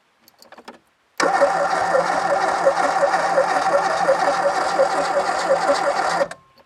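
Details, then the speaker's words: 1980s Renault 5 GT Turbo barn find, unmoved since 2001: steady cranking about three turns a second for five seconds, never catching. Spark present, but no fuel; fuel pump suspected not working. "the ignition seems to work fuel pump isn't working we don't think"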